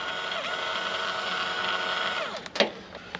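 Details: Honda S2000 flood-damaged car, new replacement electric motor bench-tested after old one proved dead: smooth steady whine at constant pitch for two seconds, then winds down cleanly; motor runs freely.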